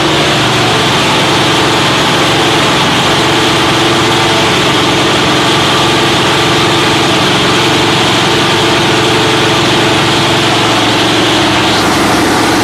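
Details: Freshly rebuilt Holden 308 V8, mounted on a part chassis, at first start: loud, steady, evenly lumpy burble with no knocks or misfires. Normal idle.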